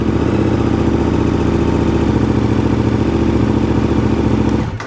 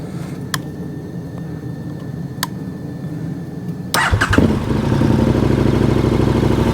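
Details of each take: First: KTM 1290 Super Adventure throwing side stand and SCU failure codes: engine catches and runs steady, slightly uneven idle a few seconds, then cuts; starts and runs fine, but the battery is suspected of being weak and triggering codes. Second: KTM 1290 Super Adventure twin after its failing old battery was swapped for a new one: brief crank, then it catches at once into an even, steady idle with no stumbling and no warning light. Healthy start.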